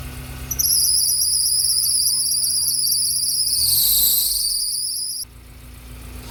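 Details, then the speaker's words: Suzuki Carry Futura 2018, cold start after fuel pump replacement, not warmed since previous afternoon: loud high warbling fan belt squeal over the engine, cutting off after a few seconds as the belt grips. "ya temen-temen fangirlnya Bunyi maklum dari pagi dari kemarin sore belum dipanasi sama sekali"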